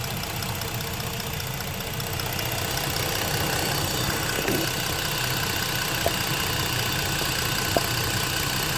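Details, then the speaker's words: 2014 Ford Explorer Limited 3.5L V6, intermittent check engine light (P2196, P2198): engine idling with purge valve unplugged and hose off, steady hiss of manifold vacuum sucked in at the open port; EVAP purge valve leaking. "If you can hear that, she's a leaker. I'll be a little bit more scientific about it."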